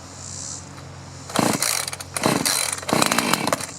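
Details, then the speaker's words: Chainsaw (2-stroke) that sat over 5 years unused, choke off after priming with fresh fuel; the filter was clean. Quiet, then it fires and catches in three short high-pitched bursts; the carburetor metering diaphragm may be a little stiff. "Oh! Choke off. I think we got something here. How about that? After all those years, get some fresh fuel pushed through there."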